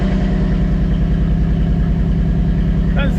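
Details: 1985 Pontiac Trans Am V8, engine regasketed and new 3-inch exhaust just fitted, timing not yet set with distributor only set to run: deep, steady burble with even firing pulses, no misses, knocks or ticks; normal idle.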